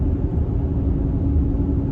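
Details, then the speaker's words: 2014 Mercedes-Benz GL350 (X166), about 93k miles, driving at road speed: a constant deep roar and steady low drone with no knocking. Owner hopes it is tires and alignment; a wheel bearing is possible but unconfirmed. "But anyway, so the roar from the tires. And I want to say that these pauses are somewhat deliberate so that you can hear it too. I am hoping that it is just tires and an alignment."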